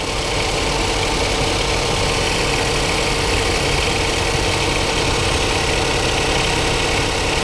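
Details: 2015 Jaguar XF 2.0L four-cylinder with flashing check engine light: loud, rough idle with an uneven, stumbling beat under the roar, a dead misfire.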